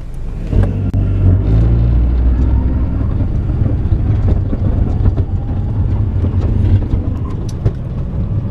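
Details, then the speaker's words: 2005 Honda Element 4x4 four-cylinder, microphone underneath near transmission/4x4: deep rumble with crackling, scraping grinding bursts from below when pulling away; shifts fine up to third with no slipping; cause unknown. "ya hayan escuchado el sonido es el ruido que está algo como tronando como raspando allá abajo cuando comenzamos a arrancar"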